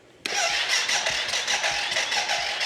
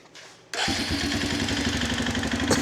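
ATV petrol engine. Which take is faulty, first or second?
first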